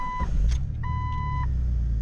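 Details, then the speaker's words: Jeep Cherokee XJ with cooling system upgraded two years ago and replaced electric fan, hot restart after 20 minutes driving in mid-90s heat, temperature just above 210: smooth, even low idle with chime beeps, no rough idle as before; normal. "All right, so as you guys can see, no issues whatsoever."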